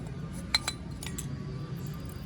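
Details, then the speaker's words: Old incandescent bulb removed from a Hayward spa spotlight fixture (SP0591SL), being replaced with an LED: light glassy clinks when shaken, a loose broken filament rattling inside, so the bulb is burned out. "if you shake it you'll hear some rattling around of the filament so you know that this bulb is done"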